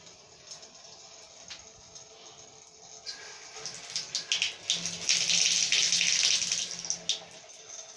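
Water rushes evenly from the open tap with a clean splash and no droning hum; the cartridge is working properly.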